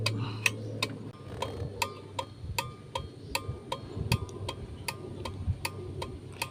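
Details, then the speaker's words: Kia Bongo, right turn signal repaired (right wire green with black), engine idling: crisp relay clicks ticking steadily; left, right and hazard flasher now cycling normally. "So yun lang mga boss no at okay na ang kanyang signal light."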